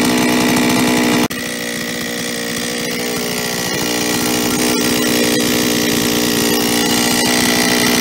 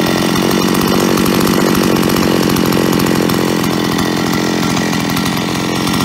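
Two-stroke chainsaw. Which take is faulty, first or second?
first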